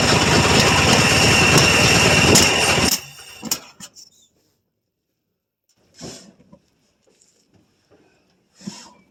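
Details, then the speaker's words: 1966 GMC half-ton pickup, 250 inline-six, first start after at least two years sitting, mouse nests in tank: brief ragged burst of firing with a backfire, cutting off; runs poorly, owner expects timing work needed. "Well, she kind of took and backfired a little bit. Crank it over. All right, fire's out. Uh-huh. Well, it does run. Poorly, but it runs."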